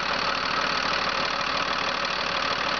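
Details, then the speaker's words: 2006 Freightliner M2 box truck, Mercedes diesel, 6-speed, just started, mic close to engine: steady even diesel clatter about three beats a second, no misses or knocks; healthy idle, clean oil, no blow-by. "As you can tell, it does not hesitate to start up. Very, very nice, smooth running engine."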